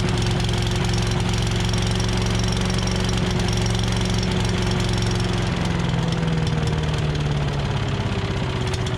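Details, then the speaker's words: Tecumseh 5.5 hp engine on a long-sitting yard-sale MTD Yard Machines chipper/shredder, started with two-stroke mix in the carb throat: steady even chugging on its own fuel, easing down slightly near the end; sounds healthy. "all right well started running off its own fuel which is surprising uh for how long i don't know how long this has been sitting because when i got it it had obviously been sitting a while too so um engine sounds good on here"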